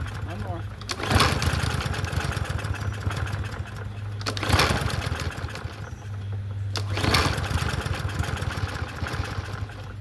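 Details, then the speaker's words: Troy-Bilt TB110 push mower (free Marketplace find, seller said it wouldn't run; auto choke): three pull-start bursts sputter, nearly catch, then die. Hard starting; owner suspects carburetor needs cleaning, not confirmed. "It's trying to get over that. Okay. Okay. So, maybe need a carburetor clean, but it was still not pulling over."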